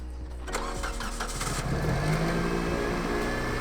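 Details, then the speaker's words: Lifted Toyota Corolla after a transmission swap replacing a blown, whining unit: a short crank, then the engine catches and settles into a steady, even idle with no whine or clatter; it starts and runs fine. "It runs. Yes. Time to put it on the ground and see if the tranny works."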